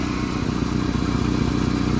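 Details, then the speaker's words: 1996-2001 Ford Ranger 2.5 warming up after valve cover gasket job and throttle body cleaning, truck in neutral, seatbelt chime dinging; even, steady idle pulse with no misses, ticks or knocks over a low hum, normal idle. "Give it a minute to warm up, and then we'll check our coolant level. Sounds pretty good with that throttle body cleaned up."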